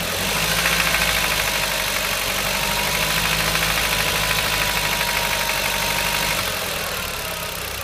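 Quick light ticking, roughly three per second, sits over a steady idle and fades as the engine settles; ticking noise, source uncertain.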